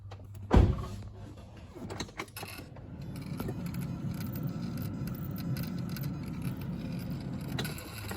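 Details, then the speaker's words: Toyota Hilux diesel with K&N air filter, blowing blue smoke on startup, key on with engine off: a click then a low steady electric whir as the turbo actuator cycles, normal turbo noise at key-on. "Anyway, this one's about to smoke, not the turbo making its normal noise with the power on, so don't worry about that."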